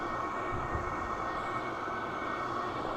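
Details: Silvel 8KW 12V diesel air heater, about five minutes after first start: a steady airy roar with a constant fan whine and no surging or knocking. It is blowing warm air, reading about 178–200 at the tube, and running smoothly.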